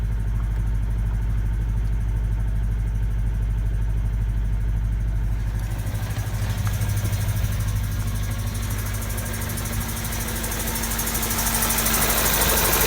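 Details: Honda D16Y7/Y8 engine: steady low rumble with a faint, fairly even tapping that picks up later, a bottom-end knock; owner suspects a spun bearing from too much nitrous, unconfirmed.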